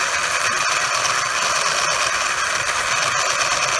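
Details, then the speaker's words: Traxxas Unlimited Desert Racer RC truck, after a turn and hard throttle off a cement driveway something snapped in the front end: fast gear-like ratcheting chatter over motor whir when steering; broken front driveline. "heard something snap in the front end here so here's what it's doing listen it makes a noise when i turn"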